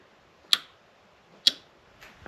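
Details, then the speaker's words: 2016 Chevrolet Cruze aftermarket fog light relay, wired to parking light circuit: two sharp crisp clicks about a second apart, relay switching normally. "So, here you can hear the relay clicking."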